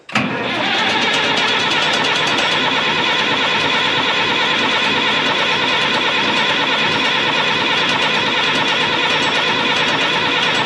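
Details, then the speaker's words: 1965 Minneapolis Moline G707 diesel tractor parked 13 years, at full fuel: even cranking about three beats a second never catches; injection system lost prime with air in it, injector lines to be cracked. "Okay, we're going to work at this a little harder, aren't we? Grab a wrench and start cracking injector lines."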